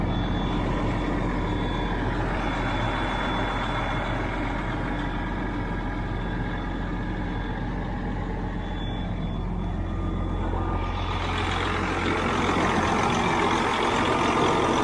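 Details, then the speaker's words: Twenty-year-old truck diesel with about 2 million miles, idling in neutral with the clutch down: steady, even clatter with no knocks or misses; it settles down and sounds really good. "it sounds really good. Sounds really good, actually."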